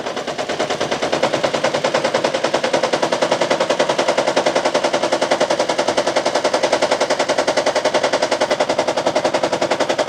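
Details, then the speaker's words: Toyota Prius engine running with injectors one and two unplugged: rapid rough, lumpy chuffing about three or four pulses a second from two dead cylinders; scanner shows no misfire count, no injector circuit code, check light not flashing. "El scanner tampoco está reconociendo MFire con dos inyectores desconectados, ni hay código de circuito también de inyectores."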